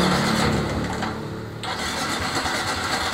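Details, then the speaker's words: Suzuki Smash motorcycle brought in for repeatedly stalling: starter whirs and the engine only sputters ("blebek blebek") without catching, cannot hold an idle and dies easily; hard starting. "enggak nyala ya starter ya Nah nyalanya cuma gitu ya blebek blebek blebek Kay gitu nah k gu ya k gitu ya mlebeklebek gak bisa langsam kemudian gampang mati"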